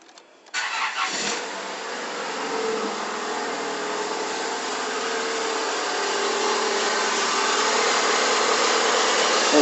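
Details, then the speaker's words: Stratus cold start after sitting several hours: engine cranks and catches, then a steady whirring rises at cold idle from the timing belt area, disappearing after about five minutes; water pump replaced four months earlier; cause unknown. "quiero mostrarles un ruido que le está sucediendo a mi carro. Cada vez que lo prendo en las mañanas se escucha el siguiente ruido."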